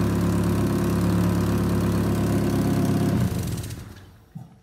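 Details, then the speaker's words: 1992 Honda Accord, about 250,000 miles, heard underneath: loud raw idle with a steady low puffing throb from exhaust escaping at the flex pipe, whose metal mesh is gone. "as you can see though the metal mesh that was on this flex pipe that was here is gone in fact as you hear this thing underneath you can actually hear where it's leaking right here"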